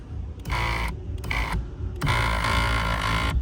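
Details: 2014 Kia Cadenza driver-side power seat, louder than normal: short bursts of harsh grinding each time the motor runs, stopping cleanly between runs, from a protective boot/black tube rubbing on the seat rail.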